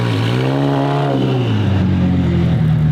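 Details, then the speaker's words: McLaren 720 GTR (720S) after an overnight suspension fix for tyre rub: car rolls and revs with a steady engine drone. Rocks pick up off the super-sticky tyres and bounce, but there is no scraping or rubbing. Clearance is now fine. "what you hear there just rocks picking up from the tires they super sticky tires so that wasn't rub just the Rocks bouncing off the tire"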